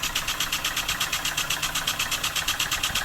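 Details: Wig-wag oscillating model steam engine on a compressed-air supply, first run after final assembly and still needing running in. Quick, even puffing chuffs about three per second with a steady hiss between beats; running smoothly.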